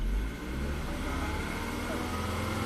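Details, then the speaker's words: Volvo XC90 with a torn PCV diaphragm, after resetting fuel trims to zero, warming up: smooth, even engine note under light revving with no hiss, stumble or misfire; normal running. "it's running perfect."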